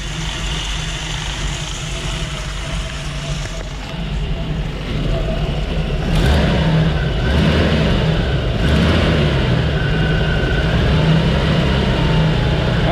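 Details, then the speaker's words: 1974 Jeep CJ-5, 232 engine with 20,000 miles, after carburetor adjustment: blips up from lumpy rough idle and hesitates at low revs; number one plug looks a little lean, stumble cause not confirmed. "I just pulled that plug out on number one it's got a little stumble and it idles rough and that might that's a little bit lean for something that's got 20 000 miles on it"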